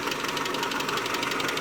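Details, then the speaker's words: 2001 Mitsubishi Galant 2.4 4G64 at idle: fast, even light ticking over a steady idle; suspected lifter tick, with lifters either failed and leaking down or starved of oil pressure by coke or varnish in the passages; not confirmed. "problem is the lifters themselves are either failed and they're not holding pressure and they're leaking out in between charge cycles"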